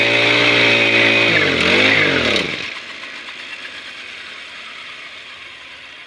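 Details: Grass cutter (brush cutter) small two-stroke that would not start, hose drawing air, after repair: buzzes high and steady, dips in pitch as throttle drops, then cuts cleanly to silence; running normally now.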